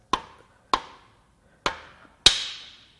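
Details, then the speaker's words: 2015 Volvo XC60 T5 2.0L engine, dead at about 100k and likely stored outside, under teardown: four hand-struck knocks on the rods, the last ringing brighter and longer, pointing to one rod with excessive bearing clearance. "that didn't sound good that sounded worse"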